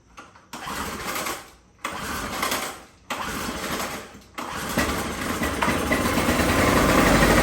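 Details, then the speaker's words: Older Coleman PowerMate generator with plugged carburetor, started on Walmart carburetor cleaner spray, choke shut, switch on run: engine fires briefly and dies three times, then catches and builds up on the spray. "This thing's got the carbs plugged up pretty good, so we're gonna go ahead and give it a little shot of Happy Juice."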